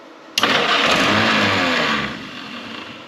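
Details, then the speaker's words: Historic Ford Willys Jeep Go Devil four-cylinder, long unused, on choke after starter work: catches instantly on first crank, surges with added fuel, settles into even idle with no knocks or rattles; normal cold start. "Fired right off. Give her some more fuel. I'll be dang. Don't hear no knots, rattles."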